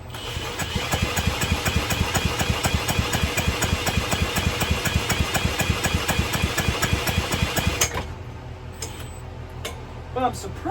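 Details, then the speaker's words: Early-2000s Power Clean 2000 PSI pressure washer with a 3.75 HP Briggs & Stratton engine, fuel smelling like bad gas: rapid cranking chuffs with brief catches on brake cleaner, then it dies and won't keep running; cause not confirmed. "It doesn't want to run off brake cleaner. Why is that?"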